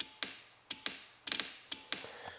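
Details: 1988 Yamaha Wavejammer PWC with a no-start, solenoid powered from a bench supply: about eight crisp, irregular metallic clicks in under three seconds, no cranking; the solenoid pulls in but passes no current. Owner suspects corrosion, cranking intermittent.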